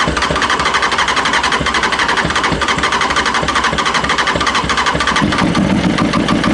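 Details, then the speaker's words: Honda CB600F with a years-long repeating problem; owner suspects a high carb fuel level running it too rich, or the spark plugs, plug caps or HT leads. It runs rough and only keeps going with choke on and throttle held open. "So, the only way I'm getting it to start and run here is with the throttle pretty much open, choke on,"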